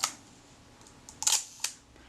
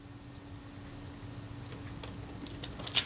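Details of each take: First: Kodak Retina Reflex S film camera shutter firing cleanly with crisp mechanical clicks and a brief whirring snap after servicing the stiff mechanism plate and correcting the timing. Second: Kodak Retina Reflex S camera being serviced: faint short high squeaks and ticks as the very stiff shutter mechanism plate is worked by hand, metal rubbing on metal; metal-on-metal squeak from stiff shutter mechanism.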